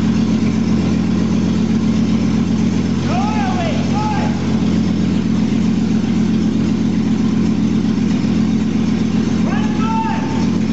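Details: 2001 Jeep Cherokee Sport, first startup of the newly installed rebuilt engine with the exhaust not yet hooked up, after poor connections were fixed. Loud, raw, steady idle with an even beat and no knocks or misses; it idles normally.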